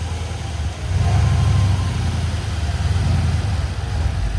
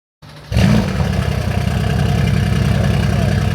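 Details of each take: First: Crash-repaired Mercedes-AMG C63 S started after refitting the throttle body; deep steady rumble with a light throttle blip, no stumble or misfire, idling smoothly, better than before. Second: Crashed donor Mercedes-AMG C63 S (successor to W204) catches and settles into an uneven, lumpy idle with a stumbling low beat, running like four cylinders; misfire.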